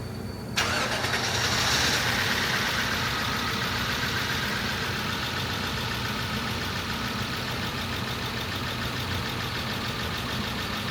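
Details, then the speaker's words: 1994 Acura Legend LS after head gasket, timing belt and water pump job, second start after replacing cleaner-damaged intake air temperature sensor: engine catches into an uneven lumpy idle; owner suspects a slight miss. "well that was sounding pretty rough on that second start"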